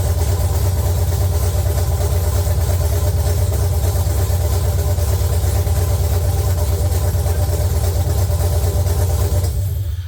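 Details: LQ9 V8 swapped into a BMW E36, first start after the build, open headers, no coolant yet, oil pressure light off: loud, deep, even burble at idle with a steady lumpy pulse, no knocks or ticks; running fine.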